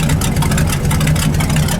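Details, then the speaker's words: 1978 Ford F-700 with new exhaust and new plug wires, still a little cold, deep steady idle with a slightly lumpy loping beat, running a little rich; carburetor mixture screws to be turned in a quarter once hot. "It's not hot enough to tune it yet. I I'll I'll to turn some screws on that carburetor again. Uh once it's hot, I'd say that's a little rich."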